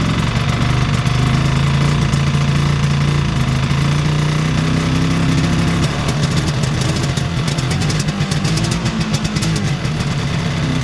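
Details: 1973 Ski-Doo 399 twin two-stroke snowmobile, barn find, after clearing a small obstruction in a passage, started with a little choke and warming up: even idle picks up smoothly and settles without misses or stumbles; running healthy now.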